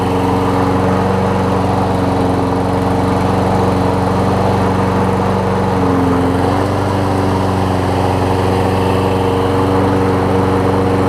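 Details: Toro Personal Pace self-propelled push mower after replacing its shredded drive belt, running on its side; steady, even drone at constant speed with no knocks or misses.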